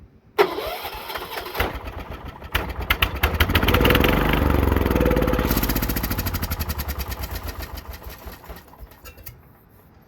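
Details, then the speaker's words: John Deere 216 lawn tractor, with carburetor cleaner sprayed into the intake: cranks, catches and fires, running at a steady popping beat about three per second before dying away; engine starts and runs. "That sounds promising. That sounds like she'll run very well."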